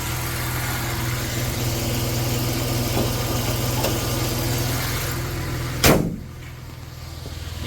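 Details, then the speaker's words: 1990 Dodge Grand Caravan LE, likely original engine, just started after storage: smooth, even low idle with steady rumble, no ticks or knocks, then a single clunk; a runner. Normal idle. "Anyway, she's a runner."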